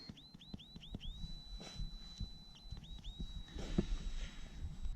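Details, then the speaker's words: Komodo Kamado 42-inch ceramic grill during its burn-in; light taps on the tiles sound dull and hollow where tiles have popped and left a void beneath, and some spots hiss or whistle as they vent; delaminated tile. "And almost find you can hear some of them leaking. You can hear kind of a hissing or a whistling. And then of course this kind of tapping things you can find where there's a void underneath."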